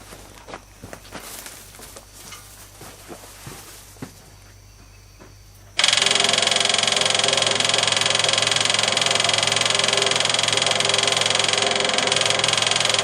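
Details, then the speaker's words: 1974 Jeep CJ5 rock crawler revived after long storage, key turned to accessory: electric fuel pump gives a steady high buzzing whir with fast even pulse, inline fuel filter bone dry, pump needs priming with fresh fuel: electric fuel pump running dry. "okay so that so the fuel pumps working its that that's the sound of a dry fuel pump though"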